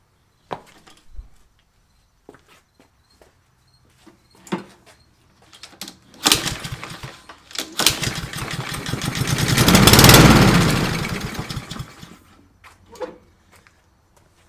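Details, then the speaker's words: Fire-damaged Husqvarna LC 221RH mower, Honda GCV 160 single-cylinder, fired again on a squirt of fuel: scattered taps, then it catches, revs and dies away with no clanking. It fires on primer with no mechanical knock; the engine is judged good. "hear any real clanking or nothing like nothing's bad fires up so i'm going to call it good"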